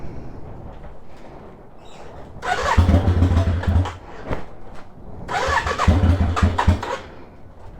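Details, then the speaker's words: 1993 Yamaha Virago XV535 just after new spark plugs, a little cold, choke on, in neutral: two bursts of uneven cranking and sputtering that catch briefly then die; hard cold start, owner thinks he made a mistake. "now it's [Music] struggling oh okay okay first impression is yeah I messed up oops I"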